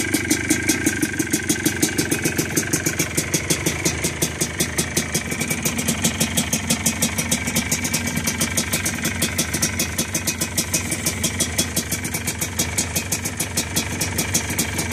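Crisp, evenly spaced two-stroke pops at idle pick up cleanly with light throttle blips; the engine sounds healthy and runs steadily.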